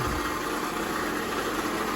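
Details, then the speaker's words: 2004 Toyota RAV4 2.4 L four-cylinder at idle before repair: steady idle with a constant, gritty harmonic rattle under the engine note; owner is almost certain the water pump bearings are worn, and this will be about the third or fourth water pump replacement. "I'm pretty sure what that is is the uh the bearings in the water pump and I have a new water pump let me shut this off all right that sounded horrible didn't it"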